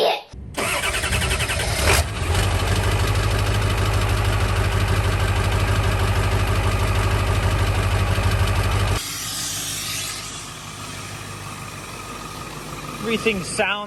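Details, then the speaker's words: Low-mileage Ford F350 7.3 Powerstroke diesel started after first oil change (Rotella T5, Motorcraft FL-1995 filter), warming up: brief crank, clean catch, steady even idle with no misses or knocks; sounds healthy. "sounds good, sounds healthy."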